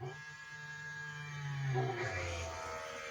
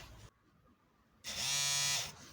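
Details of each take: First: Volvo 745 wagon, B230F engine, reviving after fuel tank cleaning and sender fit: starter spins the engine steadily for several seconds without firing, because the fuel pump fuses (1 and 11) were removed, so pumps unpowered. Crank, no start. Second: Volvo 745 wagon (B230F) main in-tank fuel pump bench-tested before fitting an incorrect replacement fuel sender after draining and cleaning the plastic tank: brief pause, then under a second of steady high-pitched buzz that fades; pump spins up and runs normally.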